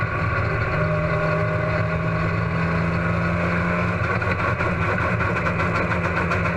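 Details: Race car engine at Huntsville Speedway: low exhaust drone steady at first, then turns choppy with uneven stumbles and pops, as if a cylinder is dropping out; engine misfire.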